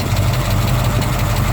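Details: Newly rebuilt small-block Ford, warmed up, on its third start, with the cam broken in and valves and pushrod preload adjusted. A faint tapping over the V8 idle rises with rpm. Owner suspects pushrods, lifters or valves; a screech may be a belt.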